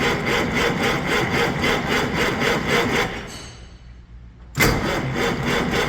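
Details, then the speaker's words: 1956 Century Resorter boat marine flathead engine, sat years in a field, on 6V battery: starter cranks about four compressions a second, pauses, cranks again, never catches; priming brings debris out, tank fuel suspected contaminated, to run from jerry can. "so we tried priming the fuel system again and you can see more of that junk just came out of there um I'm not confident whatsoever that the fuel in that tank is going to be good"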